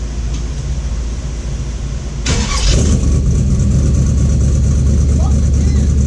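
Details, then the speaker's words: 1931 Ford hot rod coupe after a new coil, fuel level unknown: slow, even cranking for about two seconds, then it catches cleanly and settles into a steady low idle, starting much better. Normal start. "all right so it is definitely starting a lot better"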